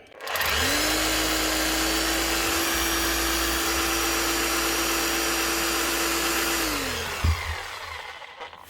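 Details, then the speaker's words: Power drill (customer reports not hammering properly) after gearbox regrease with a little oil; spins up to a steady, even whine and winds down without grinding, running smoother, normal. "You can hear that already when it's slowing down. That's her. That's a lot better."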